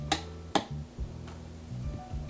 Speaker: can hear a hum there's two channels on this amp